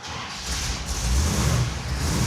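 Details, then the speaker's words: General Mayhem Dodge Charger, charging at 13 volts, after the squealing belt was tightened: deep rumble rising as it revs with no squeal on top; normal running, no belt squeal. "Okay, can I try and fix that? I tighten the belt. Let's see if it squeaks."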